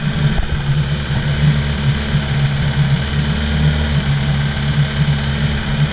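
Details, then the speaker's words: 2005 Yamaha LF115 TXRD outboard, starboard engine, after cleaning dirty fuel injectors that caused a misfire breaking up around 2500-3000 rpm: deep, even burble with no stumbles or skips; now running smoothly. "And now, it's running smooth. And it sounds the exact same."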